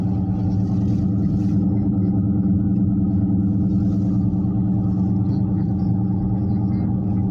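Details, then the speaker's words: Constant deep roar and drone while driving with no rhythm change, louder than the rear tires on both sides; confirmed as a bad wheel bearing in the right front wheel. "I don't think that that tire shouldn't be that loud because all the rest of them don't sound like the me the tires in the back on both sides"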